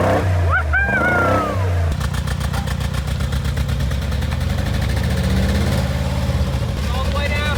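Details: Rebuilt wrecked 2022 Mercedes G63 V8 with new Armytrix straight-pipe exhaust, under throttle: a loud, uneven, stumbling pulse, like missing on some cylinders. Owner suspects oil in the spark plugs after a rollover.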